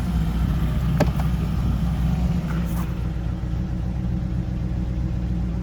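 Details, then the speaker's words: TVR Griffith 500 V8 idling after test drive following extensive work, fresh fuel circulating, electric fans whirring in background. Even, smooth steady low burble; engine running well, normal idle. "It's up and running again, looking lovely, driving nicely, and ready to hit the road again."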